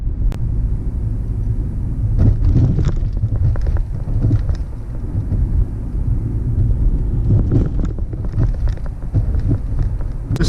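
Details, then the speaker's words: Chrysler 300, recorded while driving over bumps: irregular dull thumps and rattles over steady low road rumble; a suspension clunk the owner is still chasing, with the source not identified (ball joints and sway bar are named as common trouble spots on this model). "third issue you will run into with these cars the suspension and it's something I'm currently struggling with right now on my car if I find a bumpy road I'll give you more of what it sounds like"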